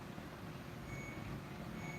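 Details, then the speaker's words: Washing machine giving short high beeps over a low rumble, signalling the cycle is not finished because the water is not draining; button must be pressed repeatedly until water comes out. "You hear that little beeping sound? That's telling me it's not done. And that the water's not coming out."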